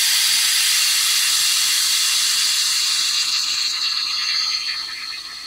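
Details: On-Air air suspension compressor on a Fiat Ducato camper van gives a loud, steady air hiss that slowly fades as the bags fill; normal inflation.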